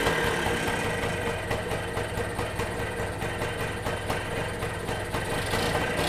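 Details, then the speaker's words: Kawasaki KE175 two-stroke motorcycle out of storage, first start after fuel drained and refilled, carburetor cover off: uneven buzzy idle holds steady with no knocking or misfiring; running fine. "so you could hear it there i was able to go ahead and get it started i did that with the carburetor cover off"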